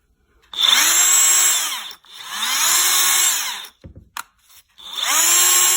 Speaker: 现在转动看着没有什么问题，声音也很正常，那有可能齿轮箱内部出了问题。